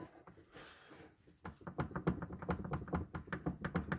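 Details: Audi Allroad C5 2.7, steering wheel rocked: dull, uneven thunks roughly two a second as the rack shaft moves in worn bushings; steering rack knock.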